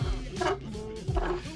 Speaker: Well, is your Bigsby doing this? Like, just being super loose and making annoying noises such as this?